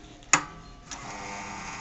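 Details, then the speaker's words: Izzo Alex Duetto II espresso machine pulling a shot, PID set to 200 on the coffee boiler and 255 on steam: a click, then a faint low steady pump hum. Normal, very quiet pump operation. "Hear how quiet that is? It's amazing. It's very, very quiet."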